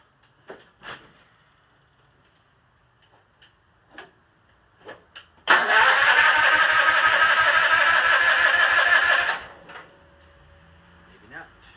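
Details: Cub Cadet 782 garden tractor fitted with the 42-inch snowblower that came with it, started after sitting a couple of days: a few clicks and taps, then the small engine catches at once and runs evenly; normal start.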